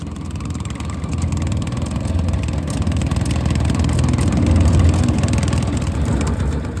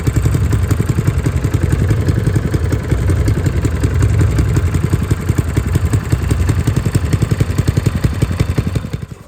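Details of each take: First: Honda GX160 on a Logic MSC120 sweeper: a rough idle running as if on choke, with black smoke (blocked air filter suspected). A light, irregular clacking of about three a second comes from a slack drive chain. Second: Honda GX160 single-cylinder on a Logic MSC120 sweeper after a full service, including the air filter and a new spring: steady, even putter with no clacking; running much better, normal.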